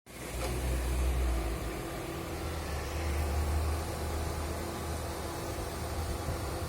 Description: Prius alpha 2015, 91k km ac Compressor noise. Its more noisy when outside temperature is very high.